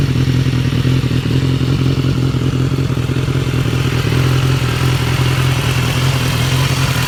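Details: 2015 BMW S1000R, 4,600 miles, idling: rapid dry ticking over a deep idle thrum, mainly from the engine's left side. It first appeared only at 3,000–4,000 rpm and now occurs at idle. The dealer called it normal; replacing the butterfly valve and cam chain tensioner fixed it.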